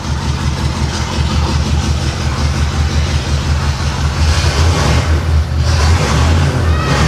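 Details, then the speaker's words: 1989 Pontiac Trans Am GTA V8 with a rough, loping idle and an uneven low thump, not running on all cylinders, just after swapped plug wires were corrected. It is a misfire traced to a disconnected injector. "I don't think it's running on all of them though. It's the best it's run though."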